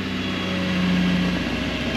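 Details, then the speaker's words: 1993 Mercedes-Benz 220CE (W124/C124), non-runner first start: very rough, revs rising on their own, idling near 2,000 then dropping to about 1,200 rpm; rough idle, cause not yet found. "oh fantastic no it's not happy it's rough that is very rough the revs are just going up by themselves"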